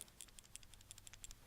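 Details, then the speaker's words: Keihin butterfly carburetor (1976-1987 Harley) during disassembly: shaking the body gives a dozen or so light dry rattling ticks in under two seconds from a check valve ball in its passage; ball is loose and free. "And I should've mentioned, there's a little ball that's put into a passage to be a check valve, and it's wedged in."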